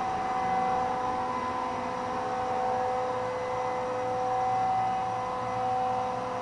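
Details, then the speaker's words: 20 hp twin-tower integrated rotary screw compressor with a quiet, high-output cooling fan: smooth, even hum with a faint steady tone and soft fan rush, no knocks or rattles; healthy. "the fan will probably be turning on any second here it's very quiet very high output"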